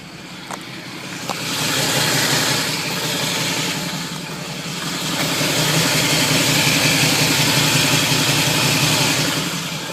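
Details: Camaro pulling away slowly: harsh gritty grinding in any gear that fades past 20 mph and is milder under hard throttle; owner suspects flywheel/torque converter, starter tight with no shims, cause not pinned down.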